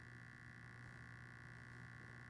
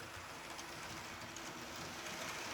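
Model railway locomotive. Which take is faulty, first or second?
first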